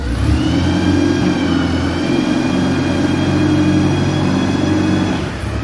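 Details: Clark forklift after repair and refresh: engine catches and runs smoothly with steady hum and faint whirring, no knocks or stumbles; normal running.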